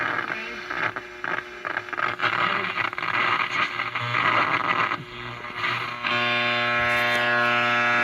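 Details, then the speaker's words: Japanese-market 100 V Panasonic radio, warmed up; harsh crackling and scratching bursts as the dial moves, then clean tuning; metal whiskers in the tuning capacitor fins shorting the plates. "so what that unpleasant scratching noise is is that there's little metal cat whiskers that are in these fins and they're rubbing up against each other and so that can cause you know you get like teeny little shorts between the the plates can mess up your radio reception"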